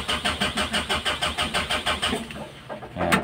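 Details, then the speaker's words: 2015 Mitsubishi L300 diesel, hard starting every morning: glow plug indicator goes out immediately and the heater does not work; starter chugs for over two seconds without firing. "nawawala agad yung indicator pero ayaw niya mag heater ayaw magstart hard starting"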